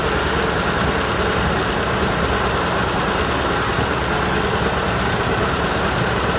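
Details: Argo ATV engine, running with decent power: heavy, steady rapping knock under the engine note at idle, earlier wrongly blamed on clutch springs; worn crankshaft main bearings, engine to be replaced.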